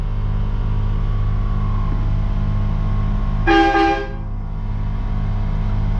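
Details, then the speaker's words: Train horn air compressor newly installed on a 2019 Ram 2500 Limited, in garage: steady low drone of compressor kicking on to refill the tank, short horn blast midway; runs evenly, no knocking or strain. "you see compressor kicked on you can hear it"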